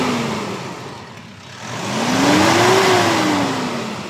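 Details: Mitsubishi Strada (about a 2019 model) that had black exhaust smoke and a hissing leak under throttle, after replacing the turbo hose: engine revs smoothly up and back to idle with no hiss or whoosh. The leak is gone and it runs normally.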